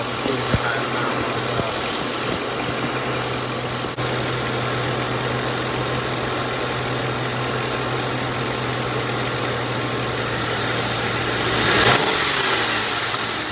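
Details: 2007 Lincoln Town Car at idle: constant low hum with a hissy whirring from the belt area; bad idler pulley bearing.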